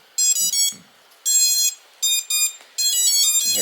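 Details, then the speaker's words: Raptor210 quad with Hyperlite V4 2522kv motors and X-Racer Quadrant 25A BLHeli_S ESCs, Radiance FC on Multishot, props off, Betaflight motor sliders at full; sharp high-pitched beep bursts; normal ESC calibration tones before sliders lowered. "can hear that tone, and then bring them all the way down to the bottom."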